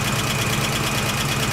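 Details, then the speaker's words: 1969 AMC Javelin 290 V8, carbureted, cold start after sitting about six months: steady light tick over an uneven cold idle, matching engine speed; owner suspects a lifter not yet pumped up. "so I got looking it sound like one of the lifter need to get pumped up"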